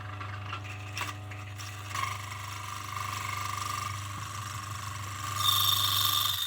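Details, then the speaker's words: A coffee burr grinder at a relatively fine setting with a stone from raw-coffee destoning added. The motor whirs steadily, then hard clacks and a high squeal as the stone bounces on the burrs, too large to pass through. "Oh, I see. It hasn't gone through! Coward. Now we've set this relatively fine, but it has proven resistant to grinding by being too large of a piece."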